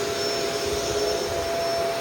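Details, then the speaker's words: Shark Rotator DuoClean Powered Lift-Away on carpet: smooth motor whir with steady whistling and no brush beating; weak brush roll agitation, which the owner assumes is due to the soft roller. "Yeah, you can hear how little agitation that has. And I assume that's because of the uh soft roller."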